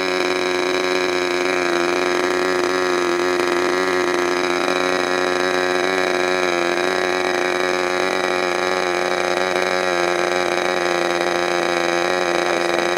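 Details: Freshly overhauled modified K&B .61 glow engine from CF Lee, test run after idle screw setting and restart: high, steady buzzing scream at one pitch, no sag or misfire; running cleanly.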